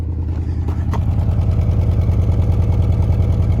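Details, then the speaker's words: $200 Honda Accord after fixing a dead cylinder: low, steady, even idle thrum around 200 beats per minute with no misses or popping, slight hesitation on revving; runs far smoother than before. Normal idle. "It sounds like 1 cylinder is still fighting, but then after like 2 RPM it kicks back in. But yeah, idle's perfect now. It sounds a lot smoother."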